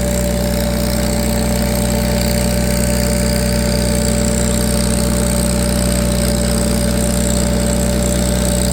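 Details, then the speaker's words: Farmall 350 row crop tractor on PTO dyno, pulling 35 hp at 500 rpm (rated about 36), run for a while, warm: steady even pull with solid low drone, no knocks or misses; sounds healthy. "Sure sounds good. They were always my favorite tractors, those Farmall 350 row crops."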